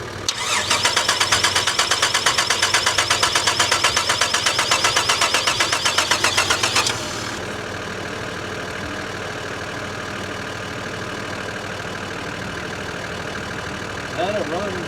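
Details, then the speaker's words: Holden VR Commodore manual after fuel priming: even starter churning near three turns a second for about seven seconds, no firing at all; cranks but no injection, later traced to a faulty immobiliser BCM. ">> Got no injection. >> pipe >> It's like it's got no injection."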